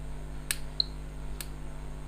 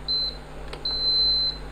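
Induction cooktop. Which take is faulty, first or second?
first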